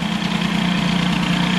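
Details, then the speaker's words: Air-cooled hybrid Peugeot 103 with Airsal 65 after carb idle and variator adjustment: a steady, fast two-stroke idle holding an even beat without hunting; the idle is set and the variator seems fine. "toujours est-il que bon ça y est le ralenti c'est bon le ralenti il est réglé le vario il a pas l'air mal"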